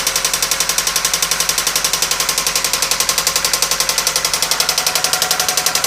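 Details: 1997 Toyota Camry, engine cutting out repeatedly with white exhaust smoke: rapid, sharp, evenly spaced knocking over running engine; possible blown head gasket with coolant mixing into oil suspected, not confirmed; engine knocking.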